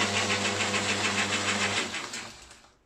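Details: Lathe after replacing a quarter-horsepower motor thought to have worn bearings with a new one-horsepower motor: smooth steady hum with clean even tone, winding down evenly when switched off; sounds a lot clearer.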